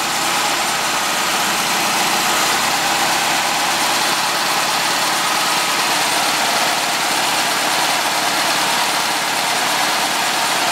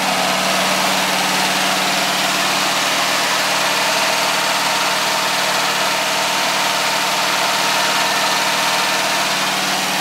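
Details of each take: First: Air-cooled VW flat-four, started slightly cold, after sealing an exhaust leak near the #2 exhaust port with silicone and adding a baffle. Steady idle with an even hiss, no exhaust puffing or ticking: normal idle. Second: VW air-cooled flat-four, a little cold, after sealing an exhaust leak near #2 port, baffle fitted, valves adjusted the day before: steady idle with light uneven ticking, a little pop from 3-4 side tappets; owner thinks it's OK.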